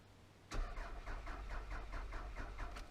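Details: 1999 Toyota Solara that had sat, ignition wiring left torn apart: starter cranks at a steady beat of about four pulses a second but never fires; owner suspects a security issue in the ignition tumbler.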